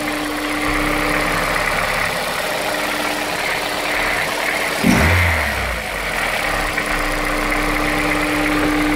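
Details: Honda S2000 at cold start idle: faint, uneven knock under a steady hum with a quick blip midway; owner suspects rod knock, not confirmed.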